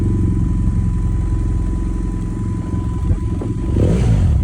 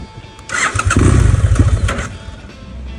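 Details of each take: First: 2011 BMW GS800 with K&N filter, open exhaust, Power Commander 6 custom map and recalibrated throttle position sensor, previously stalling when warm: steady, even low thump of the twin at zero throttle with no misses or hunting; normal idle. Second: 2011 BMW F800GS (Rotax twin) with K&N filter and open exhaust, stalling when warm at idle (~100 degrees) or downshifting, fine cold; richer Power Commander 6 map made it worse: restart catches, runs rough about a second, then dies. Cause not confirmed.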